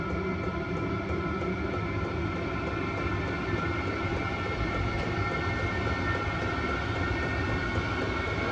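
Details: Vevor Chinese diesel heater after cleaning, primed, running on old diesel: steady whooshing roar with constant fan hum and faint pump tick; burns evenly, running good after cleaning.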